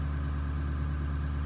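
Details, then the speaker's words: 1999 Ford F250 7.3 Powerstroke diesel, just started and not yet warmed up: deep, steady idle with even low beat, no knocks or misses; normal cold-start high idle that drops to regular idle when gas or brake is pressed. "so here we go you can hear it right now she's in high idle"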